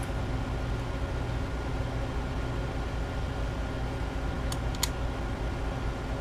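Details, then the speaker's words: DYMO LetraTag 100H label maker with a no-print problem, test run after disassembly and repair with the back cover loosely on. Soft, steady whirr of the small feed motor with no clunks or skipping; functioning properly. "so okay yeah it seems like it's all functioning like it should"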